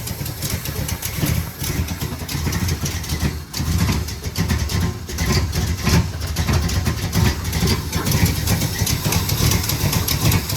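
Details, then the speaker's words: 1974 Dodge Power Wagon W200 V8 restarted after sitting 15 years on a farm with old varnished fuel; low, lumpy, slightly hunting idle with light smoke; owner suspects vacuum leaks and a need for tuning. "Let's fire it up again and listen to it. Like you shut it off yesterday. It's a little low being idle."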